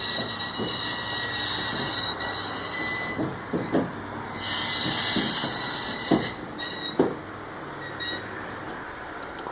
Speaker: I just want to show you today, ah a fix for a common problem that seems to plague people who have roller doors and that's a squeaky loud piercing noise when the roller itself is opening/closing.